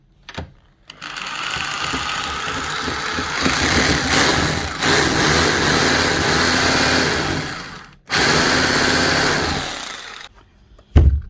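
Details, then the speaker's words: Makita HR2630 SDS+ rotary hammer drill before repair, will no longer hammer: steady motor whir with buzzy rattle, vibrating but no hammer blows; problem inside gearbox. "okay so that's not hammering at all more vibrating than hammering so definitely a problem inside the [Music] gearbox"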